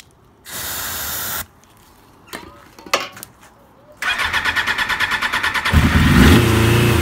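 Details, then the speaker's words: 1996 Suzuki RF900R motorcycle, first start after tank and fuel-system cleaning with fresh fuel, helped with spray (brake cleaner): cranking, then ragged uneven pulses; struggling on one or two cylinders, fuel system possibly not filled, carburetors suspected. "So, she's struggling yet. Probably one or two cylinders are firing only. Maybe the system is still not loaded up."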